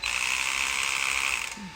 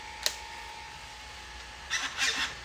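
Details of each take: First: Traxxas X-Maxx RC electric motor under light throttle: harsh high rattling grind, suspected worn motor bearings, likely the front one, before bearing replacement. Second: Traxxas X-Maxx motor after front bearing replacement: short bursts of clean high electric whine rising and falling with throttle, no more grinding.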